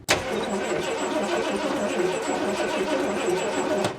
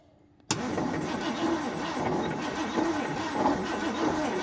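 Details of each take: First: 1979 Ford F250 4x4 parked since 1994, cranked on the ignition switch: steady starter churning with even turnover but it never catches; a spark checker on the coil wire shows no spark. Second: 1979 Ford F250 4x4, off the road for 32 years: steady, even cranking for about six seconds with a regular rhythm and no knocking; no sign of a rod problem, so the bottom end sounds sound.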